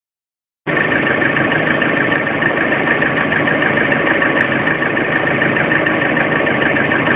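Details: Lada Priora, warm engine at idle, now 5000 km: steady run with a faint light tapping about three per second over it; knock at warm idle that appeared at 400 km.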